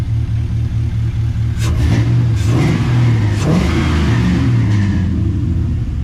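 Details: 1986 Chevrolet C10 Squarebody with LS swap, first start on a home-built budget exhaust reusing the donor Flowmaster, oxygen sensors hooked up, no tailpipes yet: deep, throaty note rising and falling cleanly through throttle blips, no misses or rattles; normal revving.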